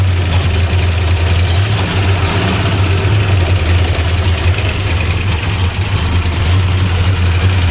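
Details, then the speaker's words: 1975 Plymouth Roadrunner V8, abandoned about 20 years, first run on battery with timing unset: loud, heavy, low idle that is fairly even but rough and unsteady. Sounds lean, possibly flooded, cause unconfirmed. "Runs a little rough. Oh. Yeah, that sounds like it's lean."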